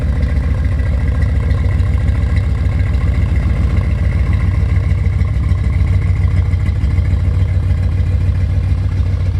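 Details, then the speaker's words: C4 Corvette V8 after its first start in 12+ years, with a new Bosch fuel pump. Loud, deep idle with a slightly uneven lope, settling as it runs; a slight misfire remains. Spark plugs, wires or coil are suspected but unconfirmed. Some white smoke comes from the rear. "oh it seems a little better now it probably just needed to run for a little bit i still can feel a slight misfire something's not right"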